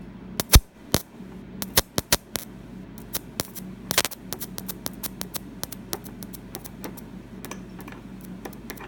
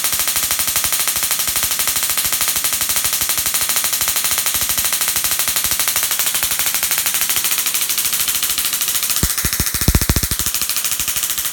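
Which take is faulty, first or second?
first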